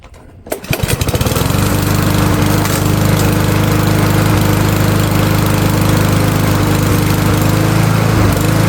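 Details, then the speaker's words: MTD Powermore 139cc mower after a spring tune-up (new spark plug, new air filter, fresh oil): catches within a second and settles into a smooth, even drone with no misses. Normal running. "All right, so let's let's fire it up with the fresh oil."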